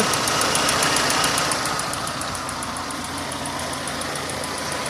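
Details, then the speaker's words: Renault running on LPG with 3-ohm Atiker injectors, before swapping to 2-ohm Vikars: sharp even ticking, three or four per second, over steady idle, like valve noise; injectors not faulty, just loud. Loud ticking LPG injectors. "biraz sessiz çalışıyor yani subap sesi gibi bir ses"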